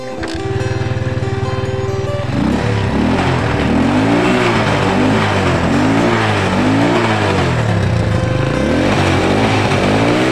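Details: Small motorcycle carburetor engine, such as a TMX 125 or Rusi, revving after its pump jet was cleaned to cure stalling when the throttle is pumped. Single revs rise and drop back cleanly without stumbling or dying, with music over the sound.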